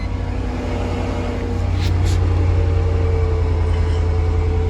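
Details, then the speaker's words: 2002 Mercedes-Benz CLK 430 AMG V8 idling roughly with a lumpy, uneven low thump from a bad misfire; codes for cylinders 3, 1 and 5, new ignition coils to be tried. "All right, so if you remember that this car had a very bad misfire. You can hear it as well."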